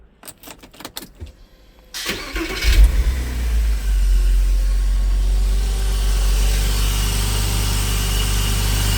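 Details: Porsche Boxster 986 start after radiator replacement, new oil separator O-rings and air leak fix, in neutral: cranks briefly, catches cleanly and settles into a steady, even idle, no stumble or misfire, no smoke; runs much better.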